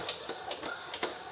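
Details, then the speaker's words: Epson Expression XP-202/XP-205 printer fitted with a continuous ink system: light, sharp, unevenly spaced ticks about three a second, no motor drone; the ink tube tapping against the printer base, no fix found. "you will hear you will hear that that tapping noise and a lot of tapping noise is caused by the ink by tapping underneath the bottom of the way"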